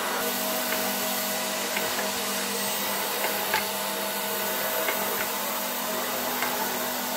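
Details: 1966 Alfa K2 (A7F) vacuum with an SK-5b motor, reassembled and run at slightly reduced voltage. Steady, smooth hum with even airflow and a few light nozzle clicks on carpet. It runs normally.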